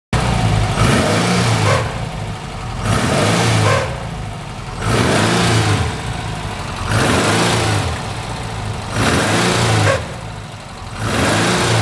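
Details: Porsche 356 blipped about every two seconds: an extra whirring note rises with each rev over idle. The owner suspects the clutch or bearing; the source is uncertain.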